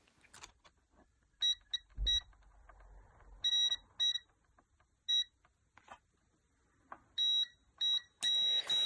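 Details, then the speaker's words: Lightning-struck Samsung TV that only clicks its relay and won't start: short, high-pitched multimeter continuity beeps on both sides of a board capacitor show it is shorted to ground. "so here as you can see it's beeping on both sides of this uh capacitor so we have a short over here"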